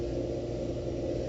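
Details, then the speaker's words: Storm station pump 2 run in hand (manual) mode after replacing a failed Allen Bradley magnetic contactor: steady, even mid-pitched hum with no surging, rattling or grinding; pumping water normally as the float drops. "are pumping. I can hear it, and we're watching the float stick go down until it's satisfied."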